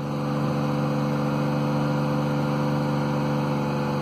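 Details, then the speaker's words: 2003 Mercedes CLK (2.4 or 2.7 engine) with loud banging and engine light: accelerator pressed, uneven lumpy pulse, runs rough; misfire counters high on cylinders 1, 2 and 3, crank/cam correlation code also stored; cause unconfirmed. "You can hear it's rough. So there's the misfire counters, cylinders 1 and 3 and 2. They're all quite bad."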